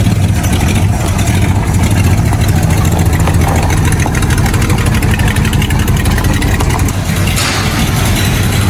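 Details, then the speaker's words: Carbureted 1954 Willys Jeep truck with a rough, loud idle and fast, uneven light tapping over the low rumble; valve train ticking, suspected loose or sticking valves, hoping nothing is broken. "yeah it doesn't sound any better does it no it sounds pretty horrible right now uh I think just a couple loose or stuck vales myself hope it ain't nothing broke"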